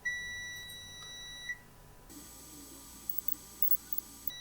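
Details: A high continuity beep stops, then resumes, while probing the display-connector pins of an oven-reflowed Lenovo ThinkPad X201 motherboard with a backlight power fault, confirming a good ground pin.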